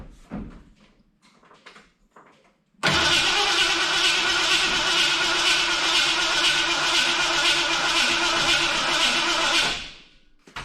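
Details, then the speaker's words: 1986 Ford F250 351 Windsor after new starter and switch fix: about seven seconds of steady cranking at roughly two and a half turns per second with no firing; won't start. "So I'll give her a little puff. Well, now it acts like there's no spark."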